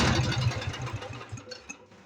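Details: Aging Lincoln Lincwelder 225 welder generator, air bleed turned out to a full turn and having idled perfectly: engine fires with an uneven beat, slows and fades out within two seconds, stalling at idle; cause not confirmed.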